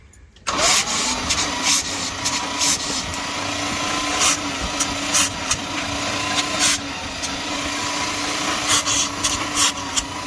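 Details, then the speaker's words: Field-find 1978 Dodge Street Van, factory starter, cranking with spark plugs removed: steady even starter whir with puffs from the open plug holes; it has compression, roughly 8:1 at best, and should run once spark is sorted. "It's got compression. I mean, it's like 8-to-1 compression at best, but it's got compression."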